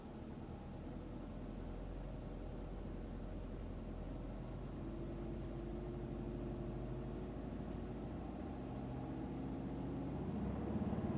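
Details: 2005 Subaru Legacy GT, EJ255/EJ257, 108k miles, before engine rebuild: deep uneven rumble with irregular stumbles about three a second, typical rough-running misfire.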